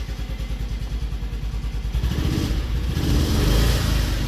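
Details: Single-cylinder engine after carburetor float fix, no overflow: thump about three beats a second, rising smoothly as throttle opens, crisp with no stumble; repaired and healthy.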